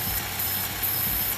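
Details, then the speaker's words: 2010-2016 Chevy Cruze 1.4 L turbo inline-4 at idle, before repair. A thin, steady high whistle over a hissy rush comes from a failed PCV valve built into the leaking valve cover, causing engine pressure loss; the valve cover is being replaced. "We're replacing the valve cover. So you can kind of hear it whistling right now."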